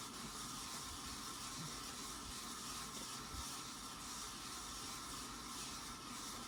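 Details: Casablanca Panama ceiling fan dated 5/25/1993, rusty, possibly left out in rain: constant gritty scraping hiss with faint steady squeal over low hum; terrible bearings scraping, causing poor movement.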